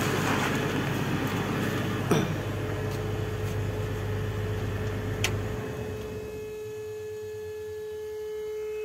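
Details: Old Caterpillar unit that overheated: a steady mid-pitch horn tone like a ship horn keeps sounding from the radiator area as the engine rumble dies away after shutdown, hot air blowing out; overheat warning alarm still active.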